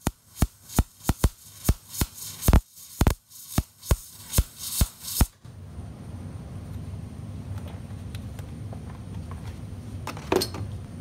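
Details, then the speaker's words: MIG welder, shielding gas flowing and voltage set correctly, wire feed speed set far too slow: harsh irregular loud pops two or three a second instead of steady crackle, leaving soot and a fat puddled bead. "all right so we have good gas flow we've got uh our voltage set correctly we've got everything looking good but you noticed that it The Sound was terrible and you've got all this uh soot and stuff"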